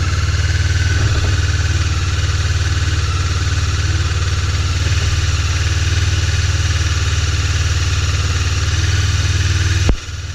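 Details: Honda CB 500 (499cc), first start after six months' winter storage at about 10°C on full choke: even low idle, steady with no knocks or misfires before a brief thump; runs pretty well, normal cold idle.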